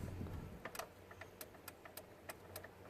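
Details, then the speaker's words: VW Golf with no start and no instrument cluster, key held in crank: sharp dry clicks about three a second from the starter relay, with no cranking. The terminal 15 relay was not switching, and a new relay fixed it. "hear the starter motor clicking but no ignition."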